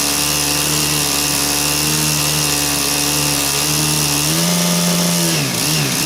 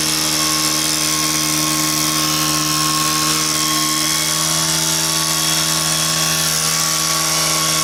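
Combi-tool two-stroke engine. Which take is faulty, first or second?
first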